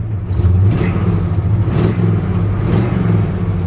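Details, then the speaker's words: 1966 Chevrolet C-10 long bed, likely crate 350 small-block (block 3970010), three-on-the-tree manual, just started and still cold; deep even V8 rumble swelling cleanly with throttle blips and settling smoothly, possible tiny exhaust leak; normal revving. "You know, a typical 350 sound. And I actually just cranked it up, so she's still cold."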